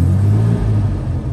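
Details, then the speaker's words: 1961 Jaguar Mark II 2.4 manual overdrive, warm after a run: deep, even inline-six rumble swells briefly with a throttle blip and settles smoothly, no knocks or misses; oil pressure rises to 40 psi at 3000 rpm, healthy. "as you can see pressures and temperatures are fine if I blip the throttle"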